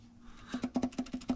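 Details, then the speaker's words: Pulled Subaru EJ25, engine not running, connecting rod rocked by hand: sharp metallic clacks, about seven a second. Excess rod bearing play is causing the knock; the oil was very dark with metal flakes. "bearing if you can hear that you're not supposed to have that much play so that's where the knocking is coming from"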